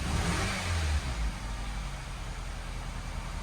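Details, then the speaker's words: 2011 Nissan Rogue with bad head gasket, after replacing a coil pack that caused rough idle, water blowing from exhaust: quick rev blip drops back to steady, even idle with no stumble or misfire; running much better. "does sound like it's running better now oh that's running much better now just a little coil pack"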